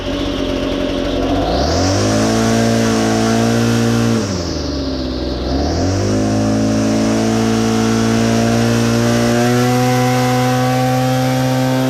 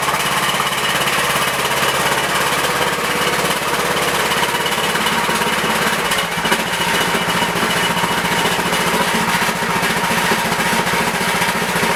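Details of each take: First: BL-110 saw, well used, after adjusting to cure throttle bog: revs up cleanly, drops and climbs back to a steady high scream with no bogging or hesitation; running normally. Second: Tractor started after a week unused, with a leaking fuel line clamped by vise grips and battery on a charger: rough, rattly uneven clatter over a harsh exhaust bark, sounds worn; smoking from oil dripping onto the exhaust, engine overfull.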